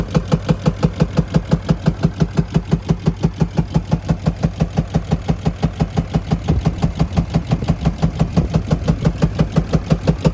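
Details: 2020 RAM 2500 Cummins diesel: a sharp, very regular knock about three per second over the engine. It also blows black smoke when revved and misfires; the cause is not yet known.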